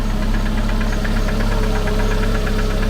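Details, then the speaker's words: Petrol engine idling: sharp, regular clack once per camshaft revolution rather than per crankshaft turn; source unknown, owner wonders about the pump. "Mais là, en vérifiant bien, c'est bien chaque tour qu'on entend ce claque."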